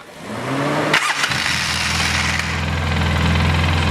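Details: Polaris Sportsman 700 just after head gasket replacement, brief run to check the water pump spins: cranks, catches quickly and settles into a steady, even idle with no misses or knocks. Runs fine; owner suspects a plugged radiator behind overheating after 3–5 minutes.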